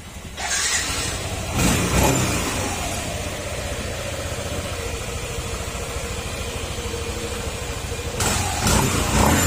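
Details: Yamaha NMAX 155 version 1 after engine overhaul and clearances set: engine catches, flares briefly, then settles to even, steady idle with no knocks, rattles or errors; normal idle.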